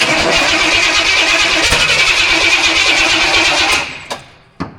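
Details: Studebaker first start with a weak scavenged battery: engine catches and runs roughly for a few seconds, then dies with weak coughs; owner suspects it wants more fuel.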